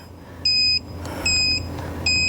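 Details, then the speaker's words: Electronic torque wrench on a 2019 Ford Escape front wheel hub bearing, tightening in 90-degree angle mode: three high, piercing beeps about 0.3 s long, every 0.8 s, warn that torque exceeded 110% of maximum. "Okay. Over maximum torque of 110%. Turn off, stop."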